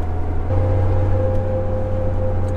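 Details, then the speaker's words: Jeep TJ with roof/windshield-mounted light bar, driving: steady low hum with a mid tone over road noise that grows louder with speed and goes away when slowing, before the fix. "so i can't actually drop it into neutral right now because if i slow down the noise goes away but the faster i go the louder it gets"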